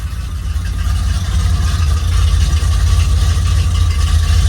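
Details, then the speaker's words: TBI-injected dually pace truck engine just after fuel pump replacement: a deep, steady V8 idle with an even low rumble and no stumble or miss, much better than before. The owner still thinks it needs retiming. "Oh, that is so much better. Give it a little gas. Okay. I think we got to retime it, maybe look at a couple other things, but that sounded pretty good."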